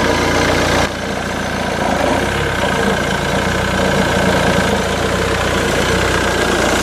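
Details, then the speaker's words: Jaguar X-Type diesel, Jaguar's first diesel engine, started cold: catches and settles into a loud, clattery, even idle with a steady beat; typical cold four-cylinder diesel running fine. "Då är det så att, ja, ni hör själv, här är lite svårt att överrösta den här just nu när den är kall. Det här är ju, som ni hör, ingen V6 bensinare, utan det här är ju Jaguars första försök med dieselmotorer."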